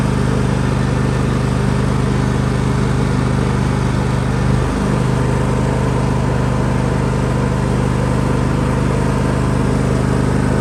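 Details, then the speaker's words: John Deere L130 riding mower after adding transmission oil and replacing the oil plug: steady engine drone with faint transaxle whine shifting pitch once, little noise, far more responsive than before; normal running. "oh wow no noise yet a little bit of noise there but it's way more responsive nothing like it was so"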